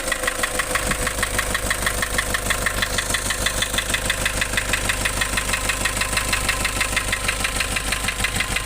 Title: Nissan Urvan Estate ZD30 E25 engine knocking replaced engine block assembly